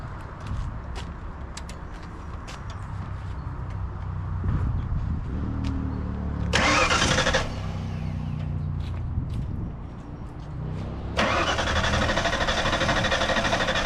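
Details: 1991 Ford Mustang Fox body barn find, newly installed fuel pump, tank hanging with very little gas: starter churns steadily for several seconds, never catches; crank no start, tank dry, needs more fuel.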